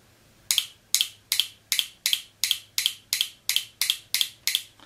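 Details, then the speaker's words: Mercedes 722.6 automatic transmission shift solenoid bench-tested electrically: sharp crisp identical clicks about three per second; solenoid switching correctly electrically, pressure holding not yet tested. "they sound exactly the same now as I said so far we only tested electrical part of the solenoid"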